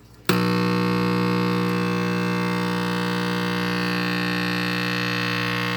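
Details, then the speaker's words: Vintage AM/FM/phono vacuum tube radio being repaired; with the tubes warming up it gives a loud, steady low mains hum that never changes with the controls, though the speaker barely moves; the cause is not yet confirmed. "All the tubes are warming up. That's a good sign. I just have horrible hum, and that's the first guy I'm going after right there."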